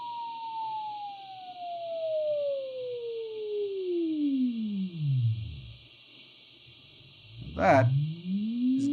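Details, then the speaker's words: Braun T1000CD receiver during AM IF alignment, fed a 455 kHz carrier from a signal generator: a clear BFO beat whistle falls from about 1 kHz to silence at zero beat, then rises again. "the difference between the carrier coming in at 4:55 and the frequency that this thing's generating now watch this it's getting closer so the difference is getting smaller so the tone is getting lower in tone"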